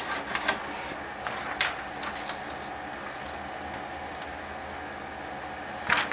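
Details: HP LaserJet P2055 reassembled after full disassembly, printing a test run: quiet steady whir with soft paper-feed rustles and brief clicks. A little smoke was noted earlier. Normal printing.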